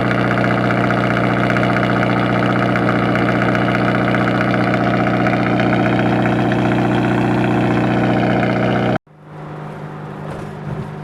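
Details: Acura RSX at a steady idle with a regular knock of about three per second, no visible oil leak. The owner suspects a spun rod bearing or jumped timing, unconfirmed.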